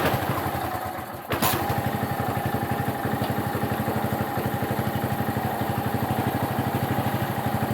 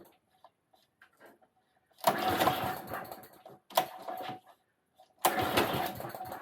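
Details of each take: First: Qualcast mower with Tecumseh engine, warm engine but fresh cold oil, no choke: catches after a brief crank and settles into a steady, even putter around four beats a second, running normally. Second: Qualcast mower with a Tecumseh engine, oil still cold and not warmed up. Three short bursts of ragged running that surge then die away. Owner suspects not enough fuel was let in. Engine running rough and stalling, cause not confirmed.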